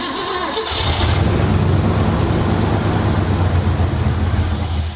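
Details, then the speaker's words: 1966 Mercury Montclair, sat 40 years, brake clean sprayed down the carb throat: long rough cranking that barely catches and fades out after about four seconds. Fuel starvation, suspected stuck carburetor needle and seat. "I bet that needle and seat is stuck."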